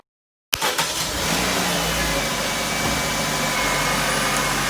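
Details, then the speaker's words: 2001 Saturn S series started (oil was black): it catches cleanly, flares briefly, then settles into a smooth, even idle with no knocks or stumbles. Running much better than before. "yeah it's hogging to run so much better than what it did"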